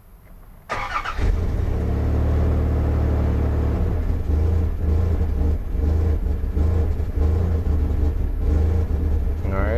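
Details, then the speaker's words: 2001 Dodge Ram 1500 5.2L V8 with a bad surge and P0107 MAP sensor code: cranks and catches, then idles unevenly, deep rumble rising and sagging, rpm fluctuating instead of holding steady. "fluctuating like crazy so as you can hear the vehicle check out the rpm I don't know if you saw that little fluctuation right here now we're stuck at 2.7 and just kind of fluctuated again"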